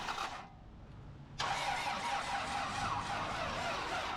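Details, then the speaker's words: 1998 Toyota Camry crank-no-start after timing belt replacement, new plugs and wires going in: petrol engine cranks slowly and laboriously without firing, battery down to six volts. "no we're down to six volts all right I've been letting it charge while we uh start putting stuff back together"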